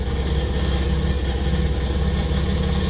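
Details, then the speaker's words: 1987 Buick Grand National idling in gear, slightly erratic, deep rumble with a gravelly rattle like rocks in a can; owner attributes it to a loose clamp holding the catalytic converter to the exhaust, converter itself probably fine. "Yeah, that noise. That's the catalytic converter. I don't think it's actually bad, but there's a clamp that holds it onto the exhaust and it has come loose."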